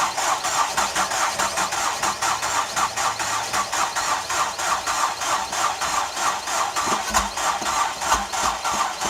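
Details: Ford Escape: steady fast cranking pulses, about three a second, without the engine ever catching, a crank-no-start; it almost started and caught fire during the attempt.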